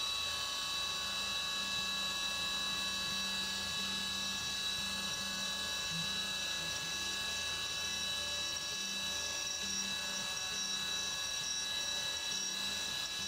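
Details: CNC 3D contour milling of the side of an AR15 high-rail gas block on the back side of the part, where no material is gouged; steady high cutting tone and even spindle whine, no rattle or squeal; chatter-free.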